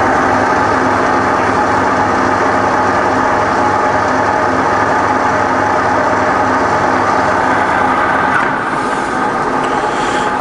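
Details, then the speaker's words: Fully rebuilt Bridgeport belt-drive milling machine with 48-inch table and X/Y/Z power feeds, spindle running while the quill power feed moves up and down: steady, even motor hum with no knocks or grinding; normal running. "so feeds up and down really nicely and I'll just turn the spindle off"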